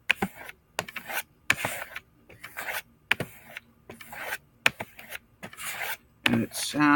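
Even, hissing rubbing strokes on leather, about one every 0.8 seconds, smooth with no catches: a good edge.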